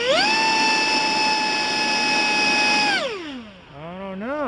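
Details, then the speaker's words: BlitzRCworks F-16 RC jet electric ducted fan motor test on the bench during repair, after the plane stopped getting in the air: clean steady high whine holding, then winding smoothly down with no rattle or rub; motor running healthy. "now for the for the big part and that is to test the motor sounds like it's doing pretty good let me get in front of it just in case"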